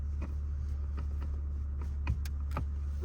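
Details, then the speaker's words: Toyota GR Supra A90 manual with new aftermarket short shifter, engine idling: light clicks and clunks shifting through first to fifth and reverse; normal noise for this non-chassis-mounted design, with no slop. "reverse as you can hear it makes quite a lot of noise um it's normal um it's more of a it's not chassis mounted but it's definitely going to have a little bit more uh noise um just because of how it's designed"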